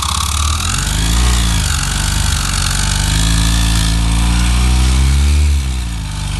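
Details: Yamaha XTZ 125 / YBR Factor 125 single spun by a tool fitted directly on the crankshaft with the head removed: heavy, uneven low thrumming rumble rising and falling; loud engine noise not found at the cam bearing, balancer and its bearings to be removed next.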